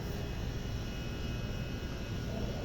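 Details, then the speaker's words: Display cooler after its condenser micro-fan was replaced; before, it would not cool and the fan motor kept seizing. Now a steady, even low hum with no scraping, rubbing or catching; the fan is running normally and the temperature is expected to drop. "Agora tá funcionando perfeitamente."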